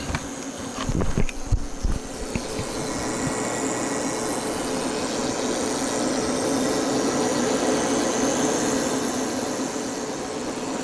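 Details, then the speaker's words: 8000 W pure sine 120 V inverter on a 48 V lithium battery under heavy heater load, output sagged to 109 V at 62 A: steady electrical buzz with faint hum over hiss; something sounds wrong inside, cause unknown. "I'm going to go ahead and turn this off. It looks like the volts have come back up here. But something is sounding wrong inside there still."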